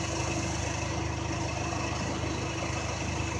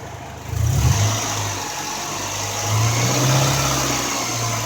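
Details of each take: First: 1995 Honda Accord idling with A/C on after repair, bad expansion valve replaced: steady smooth drone with the compressor running normally, 210 psi high side, 42 low, interior ice cold. The relay was temporarily jumped from the condenser fan relay pending a new PCM. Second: 1995 Honda Accord with bad expansion valve, engine revved with A/C compressor running: steady high hiss over held revs as the compressor relief valve blows out near 500 PSI high-side pressure; obstruction suspected.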